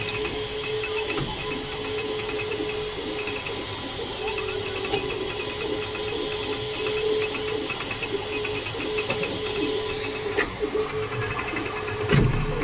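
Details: Creality K2 Plus 3D printer about a week old, firmware updated 2025-05-01, printing at seemingly slow speed: a steady mid-pitched tone, busy chattering hiss and a few sharp clicks. Owner unsure whether this is new or due to slow print settings.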